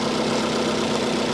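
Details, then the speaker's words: 2010 Infiniti G37 manual, hail-damaged salvage car, idling, alternator charging 14.6 to nearly 15 volts, weak battery: smooth, even idle with steady low hum, no knocks or misses; runs very well. "But we know what we need to know out of this car now, which is it runs very well. Very, very well."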